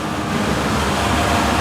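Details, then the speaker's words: VRF air conditioner evaporator that was noisy and shaking, after replacing the belt: steady even airflow rush with soft low hum, blower runs smoothly without shaking; normal operation. "já parou o barulho daqui a pouco mas já parou de tremer não tá tremendo mais Olha aí perfeitinho"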